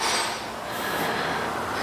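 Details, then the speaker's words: Rear suspension of a Kia Sportage: dry rubbing creak as the arm is worked, from a totally worn, cracked bushing; the bushings were replaced on one side, with the other side still to be done. "olha essa bucha como ela tá ó ó totalmente estragada aqui ó ó rangendo mesmo tá"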